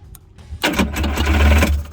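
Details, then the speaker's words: 1984 JS550 jet ski that won't start; the start button's two electrodes are corroded by saltwater. Bridging them with an insulated metal tool gives a short burst of cranking that briefly catches, confirming the switch contacts are at fault. The fix is cleaning them. "And one way to test it is you take yourself a metal tool with rubber grips so that you don't get shocked, and you can bypass it."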